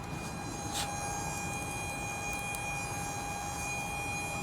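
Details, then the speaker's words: Nissan Titan XD diesel with Bosch CP4 injection pump, owner reports metal in fuel filter: steady high-pitched whine holding one pitch over a hissy background while barely trickling fuel; failing fuel transfer pump. "This pump is just I mean, listen to this thing."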